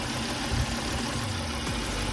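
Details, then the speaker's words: 2003 Volvo V70 2.4 four-cylinder idling, shaking: uneven idle with irregular low thumps and stumbles; scanner shows code 3502 misfire from a bad ignition coil. "nos trajeron un golpe volvo cuatro cilindros 2.4 en la que una falla y que pueden ver a la temblando"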